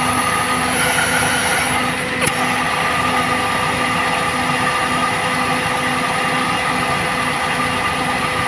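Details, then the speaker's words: Maruti Suzuki Alto with low pickup, air filter removed, distributor loosened for timing adjustment, idle rpm slightly low: loud open-intake roar at a low, uneven idle with heavy engine vibration. Rough running from incorrect ignition timing. "നമ്മൾ നേരത്തെ കിടന്ന പോർഷനിലോട്ട് വരുമ്പോൾ engine നല്ല രീതിയിൽ vibrate ചെയ്യുന്നുണ്ട് അപ്പൊ നമുക്ക് ഇതിന്റെ വൈബ്രേഷൻ ഒന്ന് അഡ്ജസ്റ്റ് ചെയ്യാം"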